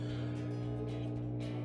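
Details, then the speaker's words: Frigidaire washer (FFTW4120SW/FLCE7522AW type) in diagnostic test mode, spin test: steady low motor hum as the drum comes up into spin smoothly, no knocks or grinding; clutch, door lock and drain pump working. "here it's going into spin so that's showing that the clutch is working once again the door lock is working the drain pump that's working"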